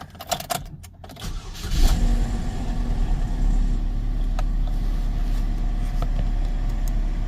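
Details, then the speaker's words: 2009 Chevy Cobalt LT from an insurance auction with 58,000 miles; brief crank, clean catch and a smooth, even idle with no knocks or misses; sounds healthy. "sounds sounds like a car with 58,000 Miles sounds perfect"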